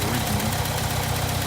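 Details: 1964 International Scout 80 four-cylinder, original points, new coil, partly warmed up, off choke: low, steady putter with even firing beat, no knock or miss; idles smoothly.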